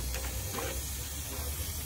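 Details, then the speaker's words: Fiat 500 misfiring, running: steady airy hiss over low engine hum as coolant steam escapes from the head gasket at the cylinder head, not the thermostat housing. "That smoke right there is coming from the head gasket. That is no good."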